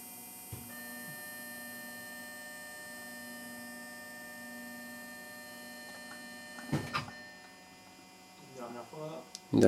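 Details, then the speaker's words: 2011 Audi A4 B8 3.0 V6 diesel, 240 hp, during a service with fuel filter replaced. Ignition on, engine off: a steady low electric hum for several seconds from the diesel fuel pump priming, repeated before cranking to spare the battery; working normally. "On va dire le bruit de la pompe à gasoil qui... On fait ça plusieurs fois. En gros, on essaye d'amorcer de façon à éviter de tirer sur la batterie tout simplement."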